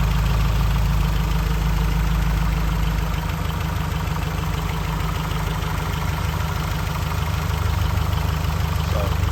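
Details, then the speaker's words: 2013 Scion FR-S freshly serviced boxer engine idling: even idle with quick light ticking about three per second, the high-pressure fuel pump chirp (dual injector system); normal idle with high-pressure fuel pump ticking. "they are kind of noisy engines so if you ever hear like almost a chirping noise it's actually a high pressure fuel pump producing lots of fuel pressure"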